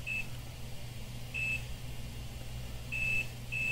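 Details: 2013 MacBook Air A1466 board 820-3437 with three-beep RAM fault: short quarter-second multimeter continuity beeps, uneven spacing, probing lines in diode mode; suspected liquid damage breaking connection, not confirmed.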